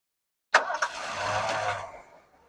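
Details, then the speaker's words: 1979 Lincoln Continental abandoned 32 years, after cutting the noisy smog pump belt: catches on the first crank into a quiet, smooth idle with no squeal or chirp; normal idle. "Look at that. That is so quiet. Just like she was shut off yesterday, guys. That is just amazing."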